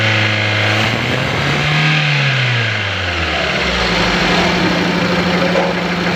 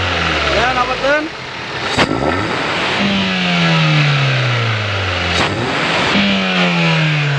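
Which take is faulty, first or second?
first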